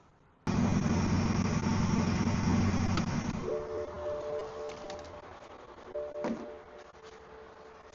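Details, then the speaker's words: Power steering whine with reservoir nearly empty after draining dark old fluid: engine running, wavering mid-pitched whine and groan as wheels are turned, stressing the pump; owner believes whine when turning is from low fluid. "When I started without fluid and I'm turning the wheels, I'm forcing it to pump things out when there isn't much left, and I don't want to keep doing that for a very long time."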